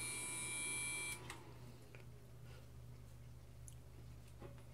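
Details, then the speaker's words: Gigabyte motherboard in a Core 2 Quad build at power-up: a steady high-pitched beep that then cuts out. It persists after swapping to a GT 520 graphics card and checking the USB cables; continuous POST beep, cause unknown. "only issue is powering up you get a long continuous beat and no idea why"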